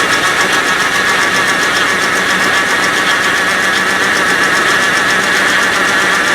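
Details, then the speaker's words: 1984 Rolls Royce Corniche after engine rebuild, warm-up regulator unplugged: rough uneven idle with sharp ticking puff over engine note; exhaust leak at manifold-to-downpipe connection, to be tightened. "It's got an exhaust leak right at that fitting over here, the connection between the exhaust manifold and the downpipe."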